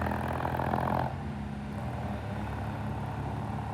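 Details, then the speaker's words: 1967 Triumph vintage British twin motorcycle after cleaning the clogged pilot jet. Now an even, steady twin-cylinder beat with a smooth, settled idle and no stumbling or popping. Normal idle. "We cleaned the pilot jet. [Applause] What a difference a clean pilot jet makes. Listen to that thing."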